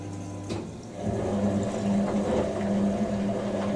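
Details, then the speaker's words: Hoover A3060 Electronic 1100 washing machine, first wash in its new home, 60°C main wash filling: steady, even motor hum with a smooth drum tumble and no grinding or knocking; wash motor sounds good. "motor sounds good."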